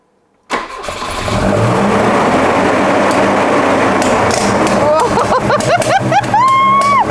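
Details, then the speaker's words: Volvo 240 redblock on its first start after fitting twin Dellorto DHLA 45 E carburetors, idle not yet set: it roars to a high, hunting, uncontrolled idle with surging revs and coughing through the carbs. "It's running! Oh! Kill it. I have no control over the revs. That's because we haven't set it yet."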